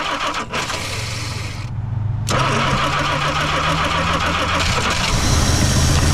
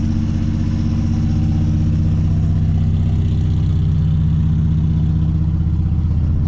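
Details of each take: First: 1963 Plymouth Belvedere sitting since 1978, fuel pumped up to the filter: cranks unevenly, goes quiet, then catches into a lumpy idle with some backfire after way too much fuel; flooded, then runs. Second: 1963 Plymouth Belvedere slant six, sitting since 1978 with fuel found in the oil: smooth, even low putter about 160 beats a minute, steady with no misses. Healthy idle.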